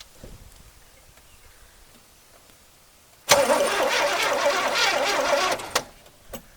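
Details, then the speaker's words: 1981 Chevrolet El Camino with Rochester 4-barrel carburetor, left on a trailer for 21 years, first key turn: about two seconds of brisk, even, strong cranking, starter and compression sound healthy; normal cranking. "That sounds pretty good. That sounds really good, actually."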